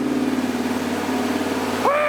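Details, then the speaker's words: 1977 Ford F150 with a new V8 motor on first start and break-in, at fast idle; a smooth, even hum with no knocks or ticks, which is normal running. "okay golly guys it sounds so good it looks like crap but she sounds like a king"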